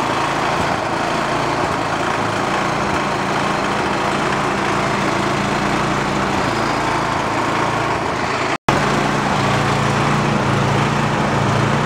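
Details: Free roadside snowblower started choked on fresh gas: the small engine idles with a slow rise and fall in speed that never settles; the carburetor's idle circuit is dirty, and the fix planned is removing the idle screw and blowing out the jet.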